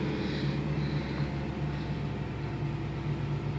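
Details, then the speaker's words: 1987 Porsche 928 S4 V8 heard from inside the cabin, purring at steady idle with a deep, even rumble and no knocks, misses or rattles; no dash warning lights, and the car runs normally. "Car is in really nice shape. Uh, purr along just fine."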